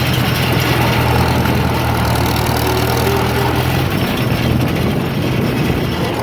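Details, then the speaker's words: 1947 Farmall M, first start after rebuild, valves adjusted and oil put in the cylinders: steady, even low idle rumble with no knocks or misses; runs pretty good, with a hiss on each exhaust stroke and a known muffler leak. "well it runs pretty good"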